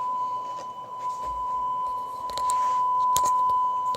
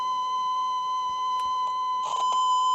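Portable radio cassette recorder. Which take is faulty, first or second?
second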